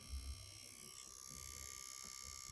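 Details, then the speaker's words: Microsoft Surface Pro 8 tablet, 14 days old, under stress: a loud, fast, buzzy rattle like an insect trapped inside sits over the small cooling fan's high whine. The rattle first appeared during a Skype call. "well i think of the rattling sound well there it is it sounds like there is an insect inside or something it's pretty loud"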